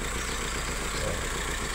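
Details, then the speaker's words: Honda Civic petrol engine after overheating with empty radiator (coolant temp 96–100 °C once refilled): uneven, stumbling idle beat, misfire. "Cuman setelah overhead terjadilah mesin pincang. Mesinnya pincang, muter."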